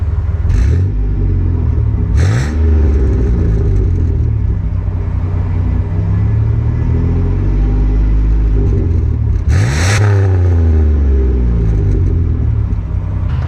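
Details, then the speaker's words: Van with a newly installed muffler, warmed up after a test drive: deep, even exhaust rumble through clean revs, with no rattle or drone, no resonance in the cab, and most of the earlier valvetrain clatter gone. "and the best part about all this is there's absolutely zero resonation inside the cab and their engine's still sounding pretty good"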